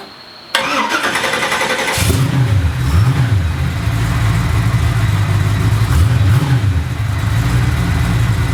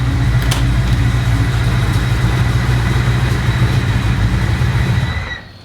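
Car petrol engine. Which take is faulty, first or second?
second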